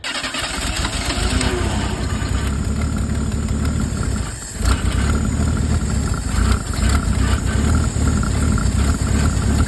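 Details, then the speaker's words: Mercury Zephyr Z7 GS Fox body, carbureted, with the factory fuel supply line disconnected for testing and a fuel pump of about 1,000 miles or less. Uneven cranking that never catches and briefly stalls. No fuel delivered: the fuel pump has failed, possibly from corrosion. "Still no fuel. Our pump has went bad. No way. Our fuel pump has went bad. Look, it's still not pumping fuel."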